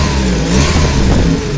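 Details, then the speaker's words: VW Gol quadrado with a CHT engine, after fine-tuning the idle mixture and screw, exhaust holed: a quick throttle blip, then the revs drop back and settle cleanly to a steady idle without hunting. Normal rev and idle return. "ele já volta estabiliza de novo acelera ele já estabiliza muito bom"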